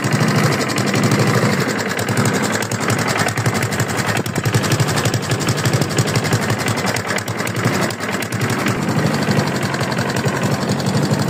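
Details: Free used lawn mower engine running steadily with a fast, rough rapping throughout and no speed change; engine knock, owner asks whether it is rod knock, unconfirmed.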